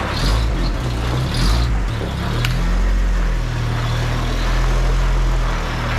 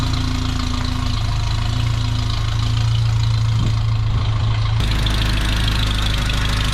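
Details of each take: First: 1985 Toyota 4Runner just after an engine rebuild, runs unevenly with a wavering low rumble then dies; cause later found to be an unplugged connector behind the ECU. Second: 1985 Toyota 4Runner after engine rebuild, warming up for a timing check after reconnecting an unplugged plug behind the ECU: steady idle, even low drone, slight note change midway, sounds healthy.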